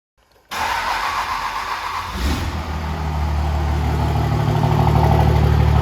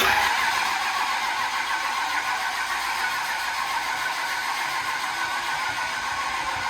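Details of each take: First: 1999 Dodge Ram with swapped 2003 common-rail Cummins engine on a standalone harness, Smarty flashed: catches after a short crank and settles into a steady, even diesel clatter; normal start and idle. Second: 2003 common-rail Cummins swapped into a 1999 Dodge Ram on a standalone harness: the starter spins the diesel about 3.5 turns a second for twelve seconds without catching. The injectors don't seem to be firing; the system is bone dry and the injectors questionable.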